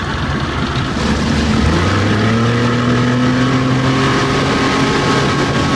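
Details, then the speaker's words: Old outboard with a past stalling and bogging problem, now running on the water with a new fuel line, primer bulb and fuel pump; the owner says the fuel pump was the problem. The note climbs smoothly as the throttle opens and holds steady with no hesitation, bogging or cutting out. "check out this Shoreline see if there's any tilapia got my water no hesitation she sounds good baby my problem it's the fuel pump"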